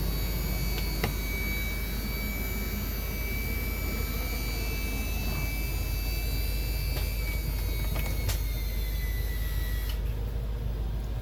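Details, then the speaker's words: HWH RV hydraulic pump motor RAP91244 reinstalled after brush replacement, engine idling for amps, operating slides: steady motor whine rising under load as it pressurizes, no grinding or stumbling; normal operation. "Always let it labor there just a little bit, make sure everything pressurizes good. But it sounds really good."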